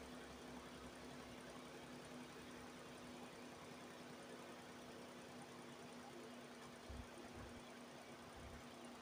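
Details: Nissan Almera after radiator fan motor replacement and coolant top-up, started to check: quiet, even idle with a steady low fan hum, no knocks or rattles; normal idle.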